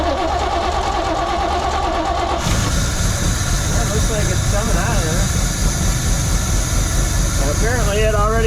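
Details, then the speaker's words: 1972 Chevrolet C20 pickup stored over 20 years: engine suddenly picks up and runs on its own with a rough, uneven low rumble for several seconds, then falters; owner suspects failed accelerator pump and possible fuel pump, carburetor needs work. "of a sudden got its uh second wind it was running all by itself there for a second"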